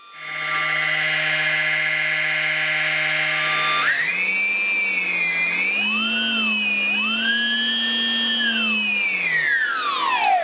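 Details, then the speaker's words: FX-61 Phantom plane, stock loud 1200KV motor replaced with Racerstar BR3536 950KV brushless, test spin without prop: smooth whine rises evenly with throttle, holds steady, winds down cleanly, much quieter and smoother than before: normal brushless motor spin-up. "so let's test it out and that sounds a lot quieter a lot smoother make sure it's going the right way"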